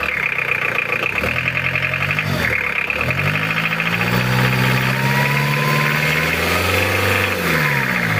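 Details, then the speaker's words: Mitsubishi Challenger 4M40 diesel, recently overhauled: lumpy, uneven idle that turns smooth as it is revved, unlike usual roughness; cause not yet known. "Nah ini yang aneh ya lur, untuk idolnya itu suara kasar, cuma kalau digas itu suaranya halus."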